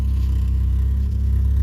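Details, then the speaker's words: Big-cam car revived in a mud pit, running smoothly: steady, even low note with no misses or knocks, about 17 in vacuum and now charging. "smooth as butter a it's good to have this running again"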